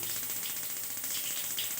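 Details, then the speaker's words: Vilano gas water heater not heating: rapid, even high-pitched ticking from the working spark igniter with no valve click or burner roar. Module output measured only 0.5–0.7 V; owner suspects a weak module, or possibly a failed valve solenoid. "Ini ini suara titik-titik itu berarti pemantik apinya hidup. Tinggal kita cek. Nah, ini katupnya tidak berfungsi."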